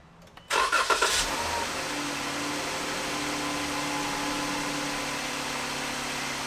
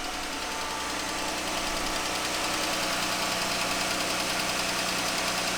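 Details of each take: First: 2015 Jeep Grand Cherokee after a repair for engine ticking: it catches after a short crank, flares, then settles into a quiet, even idle with no ticking. Normal idle. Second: 2015 Jeep Grand Cherokee 3.6 V6 at idle: fairly regular light ticking, about three per second, over the steady engine run; worn roller rocker arm.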